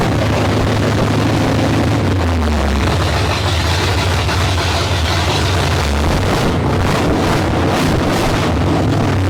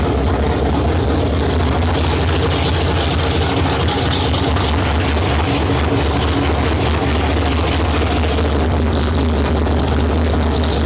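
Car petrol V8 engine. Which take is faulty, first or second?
first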